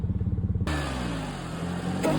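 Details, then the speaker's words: Warmed-up supercharged B8 Audi S4 with a little over 300,000 miles and stock exhaust. Lumpy idle snaps into a smooth, strong rev that holds and climbs again; sounds healthy. "Sounds pretty good. And the supercharger actually sounds amazing when I had the intake off."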